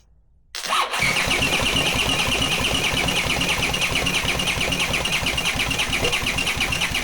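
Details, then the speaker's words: Honda CX500 engine on bench test stand, no exhaust, no cooling: starter cranks at about three even beats a second but never catches; spark confirmed, fuel visibly coming out of cylinders. "So, for some reason, there's no ignition. And again, you can clearly see the fuel coming out of the cylinders."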